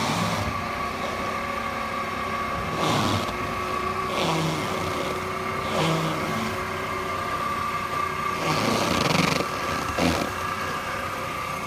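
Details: 2008 Mercedes-Benz C300 V6, stock exhaust, cold start and revving: a loud steady high whine near 1 kHz sits over the engine through the revs; a failing alternator, and replacing the alternator cured the noise.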